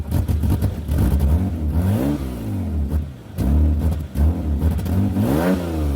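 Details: 2003 Mitsubishi Galant, engine revving after exhaust repair: front section not yet clamped and might need welding, started to check how it works. Revs rise and fall cleanly over a low, even exhaust note with no rattles, ticks or leak puffing; it works.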